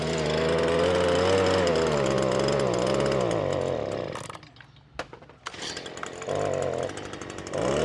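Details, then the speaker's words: Stihl BG86 two-stroke blower, customer complaint of bogging, gooey residue around carburetor: buzz wavers, sags and nearly dies before picking back up under throttle; carburetor to be replaced rather than adjusted. "all right y'all see how it's acting I ain't even going to fool with it I'm putting a new carburetor on it"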